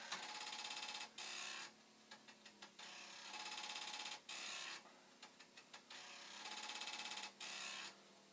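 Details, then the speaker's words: Commodore 1541 disk drive, test-drive mechanism on the problem drive's board and power supply, after head stop adjustment: short bursts of buzzing head stepping and clicks every few seconds; retrying and failing to read the disk. "But now, it's not really trying. So, I don't think anything I've done here has made a damn bit of difference."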